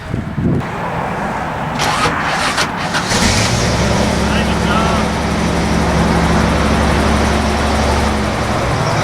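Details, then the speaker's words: Vintage Toyota Land Cruiser (1972 or 1979) that runs badly: slow, heavy cranking drags a few seconds before it fires; starter labours, suspected from over-advanced timing, possibly failed vacuum or mechanical advance. "you can hear it load or labor the starter labors when it cranks over it and then it fires"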